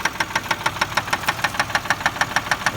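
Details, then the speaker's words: 2004 Chevy Malibu while driving: sharp, evenly spaced knocking about eight per second, easing at 50 mph but still audible; engine stalls idling in drive; owner suspects a spun bearing, unconfirmed. "that sound keeps going while you're driving kind of dies down at 50 miles an hour but you can still hear it"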